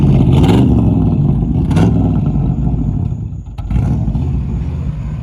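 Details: Resurrected 383 V8 with oil pressure, fan bolt on front loose, revved to hit the pipes: deep, strong blips climbing and falling cleanly with throttle, even exhaust rumble between; healthy, no knock.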